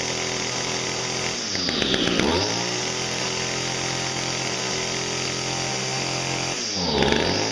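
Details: Echo two-stroke trimmer, cold start after seven months' storage on 40:1 fuel, primed and pulled: buzzes at a steady high idle with two brief clean revs; starts and runs healthy.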